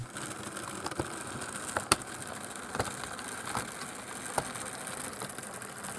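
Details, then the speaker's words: Proto Lifelike HO Western Maryland FA diesel model locomotive: small motor whirs steadily with a sharp thump about every 0.8 seconds from a cracked axle drive gear, a known fault; replacement axle set available. "the Proto lifelike diesels had a problem with the axle Drive gears they would get a crack at them and would cause the locomotive to maybe Skip Beat in a way they make a thumping noise it's pretty significant"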